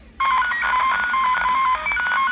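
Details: Radio frequency interference heard over an amateur radio receiver: choppy warbling tones jumping around the upper-middle pitch range. Room devices were switched off.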